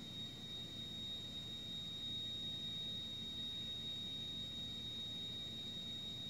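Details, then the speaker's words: Wolf 48-inch gas range oven, bake burner lit: shrill, steady high alarm-like whistle over soft burner roar; burner whistle persisting after a repair that lowered supposedly high gas pressure. "this is a gas oven and I'm gonna turn it on and you are going to start hearing the alarm sound that's coming out of the oven here we go"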